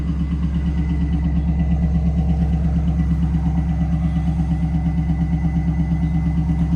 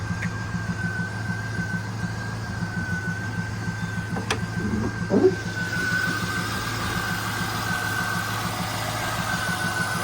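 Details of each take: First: 1998 Pontiac Trans Am that ticks at cold start until warm: a steady warm idle with a slight uneven lope about three times a second; owner suspects a slight miss but isn't sure. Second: 1998 Pontiac Trans Am with a new alternator, after residual belt material was wire-wheeled off the harmonic balancer that had been ticking: a steady, even idle with a smooth low hum and no ticking or knocking.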